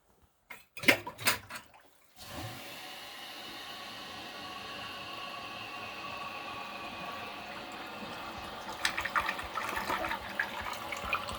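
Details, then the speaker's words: Kohler San Rafael Water Guard toilet after 8 years of use: soft rush of water then a quiet, steady refill with no gurgle or splash; so quiet that running water is heard; a normal gentle flush. "you probably can't tell in the video but this toilet actually flushes so quiet that you can hear the sound of the water actually runnin"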